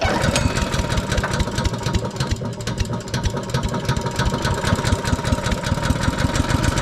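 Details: Briggs & Stratton single-cylinder engine on an Agri Fab Mow & Vac leaf vacuum, after carburetor and fuel system work, hose attached: steady, even fast putter and vacuum rush, no misses or surging; normal running.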